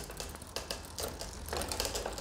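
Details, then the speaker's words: Bicycle in 7th gear while pedalling: irregular light clicking and ticking as the chain hunts between the 6th and 7th sprockets without settling; rear derailleur cable tension misadjusted. "Bisikleti 7. vitese attınız. Ama zincir arada 6'ya gitmek istiyor, 7'ye gitmek istiyor ama yerini bulamıyor. Sürekli bakın bir yere geçmeye çalışıyor."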